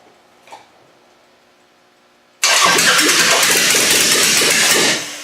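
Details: Demolition-derby car fitted with a GM distributor, on a battery booster with fuel pressure present and timing being adjusted: about 2.5 seconds of harsh, even cranking without catching. It cranks but won't start; timing is still well off.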